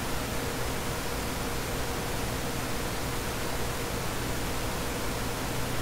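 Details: Dell CS24-SC 1U server (dual Xeon L5420, 12GB RAM, ESXi 5.0) with two of four 40mm San Ace fans removed, at idle before load: steady, even rushing hiss with a low hum underneath, fans running smoothly at baseline speed.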